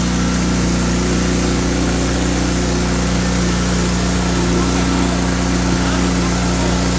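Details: First start of an all-motor K24-swapped Honda FA5 build with an open header and aggressive cams: a loud, raw bark but even, steady firing with no knocks or misses. It sounds healthy and runs normally.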